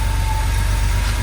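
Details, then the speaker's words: 1982 Porsche 911SC Slantnose, sat 20+ years, after cleaning the CIS fuel distributor and fitting new plugs and fuel filter: a steady, even low burble at idle with a smooth firing beat, no knocks or misses; a healthy idle. "Man, that sounds good. Yo, this thing sounds so good. Oh my goodness. This thing sounds so good."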